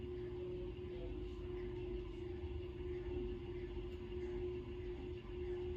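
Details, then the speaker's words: 1916 Century closed-top antique ceiling fan after bearing work and added lights, running on low: steady, even motor hum at fixed pitch, no scraping, clicking or wobble; running smoothly. "Let's start it off on low, or the closest thing to low this thing's gonna have."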